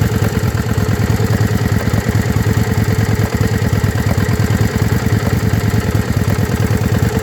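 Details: Yamaha Virago XV535 loping idle with uneven stumbling beats, a cylinder dropping out; one spark plug heavily carboned, owner suspects carburettor tuning; engine misfire at idle, cause unconfirmed.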